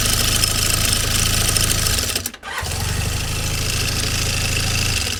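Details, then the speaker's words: Honda CB400N running with valve cover removed while hunting a knock: fast, light metallic top-end rattle over busy idle, brief cut-out and restart. Owner suspects excessive cam chain slack and adjusts the tensioner. Source is unconfirmed. "нет. Звенит. Допустим ли такой люфт? Мне кажется, нет."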